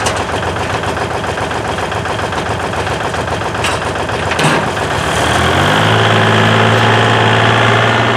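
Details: 1956 Lincoln Y-block V8, ex-tower engine, choked and fired inside a warm shop: a few seconds of cranking, then it catches and settles into a steady, even idle; a healthy cold start.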